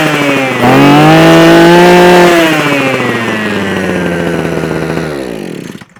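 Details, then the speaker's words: Mountfield MM 2630 two-stroke multi-tool that only ran on choke or bogged after storage, now primed with fuel returning to the tank: it fires off choke, revs up cleanly, holds a steady buzz, winds down smoothly; normal running. "Right, so now, hopefully, this machine should run with no issues, theoretically. We'll choke it. So choke's that way, fire it up, off choke."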